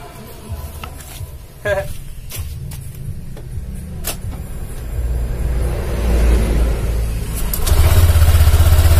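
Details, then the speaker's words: 2019 Honda Vario 150 scooter after the CVT was cleaned: revs build smoothly with an even drive hum; it is much smoother, with only a faint remaining noise and no more rough grinding. "Oke Guys dan Ini hasilnya Bos ya Hai kapas Ya sudah agak halus ya tapi tetep ada bunyi Bos Dikit Joss cuman enggak ngongsrong kayak tadi ya"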